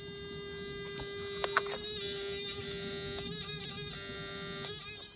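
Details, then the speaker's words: Car with ignition lights on but no crank: steady electric buzz with faint clicks from the relay in the fuse box behind the near-side headlight; suspected poor earth (ground), unconfirmed. "behind the near side headlight open the lid on it you'll most probably hear the relay buzzing making out opportunity a noise"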